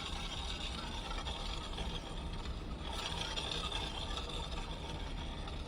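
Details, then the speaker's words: Bajaj Discover 125cc front wheel turned by hand, weak front brake: steady scraping rasp, metal dragging on the disc; pads likely worn through to backing plate. "तो देखा आपने, शायद लगता है इसके अंदर का जो पेड़ है वो पूरी तरह से ख़त्म हो चुका है और लोहा इस डिस्क व्हील पर घस रहा है, इसी कारण से इस तरह का आवाज़ आ रहा है।"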